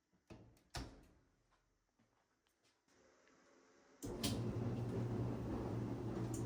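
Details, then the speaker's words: Whirlpool/Maytag dryer after idler pulley replacement for a squeal: a few knocks and clunks, then starts with a steady low hum and even tumble, no squeal; running quietly. "Sounds quiet to me."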